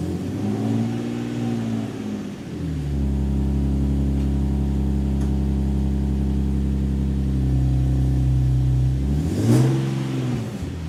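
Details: Nissan 370Z with a new NISMO true-dual exhaust and 1320 Performance test pipes replacing the rattling stock system. The deep tone climbs cleanly with each throttle blip and settles back to a steady idle, with no rattle. It is louder than stock and healthy.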